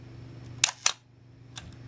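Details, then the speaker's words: Minolta SRT 200 35mm film camera body, shutter fired at 1/8 second: two crisp clicks about a quarter second apart, opening then closing cleanly; normal shutter operation, mechanism in good condition. "So it indicates this is in quite good condition. The mechanism is all still working properly."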